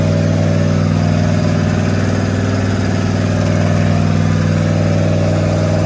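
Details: Rat rod small-block Chevy 350 V8 freshly fitted with a turbo cam, replacing the stock one, around cam break-in: loud, even idle with a steady lumpy pulse of about four beats a second, no tapping or knocking; normal idle.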